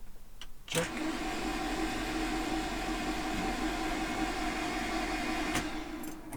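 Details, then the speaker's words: 1984 VW T3 single cab, 1.6 diesel, manual, long unused: the starter spins it quickly and evenly with no firing. Low compression is suspected; owner suspects broken valves, a ripped timing belt, or timing off. "okay sounds like there is not much compression we got to check a few things"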